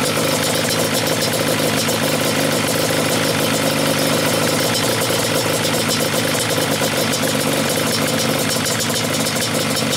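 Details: Yamaha Banshee two-stroke twin, stock carbs synced by sight glasses, both air screws turned all the way in (closed). Thick, lazy, uneven burble with no pop: idle mixture very rich.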